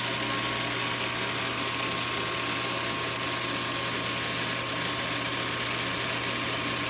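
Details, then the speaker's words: Mechanica Cortini CNC lathe retrofitted to Mach 4, spindle commanded to 2000 rpm: even steady hum with clean constant high tone, no knocks or surging; normal spindle running. "sounds nice and clean nice and stable let's bring it down to 500"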